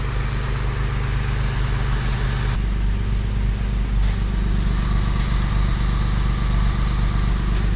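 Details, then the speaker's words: Porsche 996 3.4L flat-six after reconnecting an improperly plugged ignition coil wiring harness: steady, even idle with low rumble; previously misfired badly as if missing a cylinder, cylinder 6 compression 85 psi. "Start it up. As you can see, it's running much better than before."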